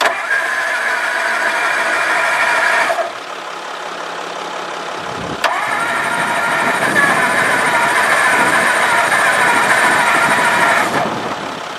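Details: 1954 Ford Crestline Skyliner with fuel poured into the carburetor bowl: the starter cranks, the engine catches briefly, dies, then cranks again without idling. Cranks but won't keep running, likely flooded.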